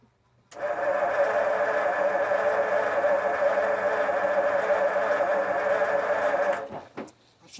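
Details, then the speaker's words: 1952 Ford F-1, first start attempt in 28 years, carb rebuilt, PerTronix ignition, timing being adjusted: even starter cranking around 150 turns a minute for six seconds with no firing; cranks but won't start, out of gasoline. "Oh, you need gasoline. No wonder it was close, but it didn't finish. Because you were running off what was already in there from last time."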